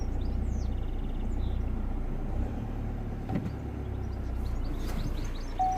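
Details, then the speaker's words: 2012 Vauxhall Astra J diesel (listed as both 2.0 and 1.7 CDTi), brought in for no power and a P2004 manifold runner/swirl flap fault: first start after repair, a steady, even idle clatter with no misfire or stumble. Running fine. "okay let's try again and he's running let me see if he runs"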